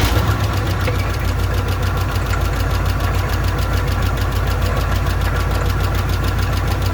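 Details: Old engine with an old, unidentified carburetor, fuel poured into the bowl: loud, lumpy low rumble with an uneven chuff about three times a second, running rough on little fuel then dying with gas; owner suspects a bad accelerator pump or flooding.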